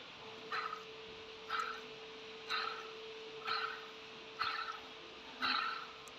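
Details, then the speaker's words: Removed original water pump turned by hand: short squeaky chirps about once a second from a failed bearing; with the engine running there was a squeaky belt-like noise; pump being replaced. "Şimdi devir daimimi söktüm. Devir daimini değiştireceğim. Devir daimi rulmanı bozulmuş."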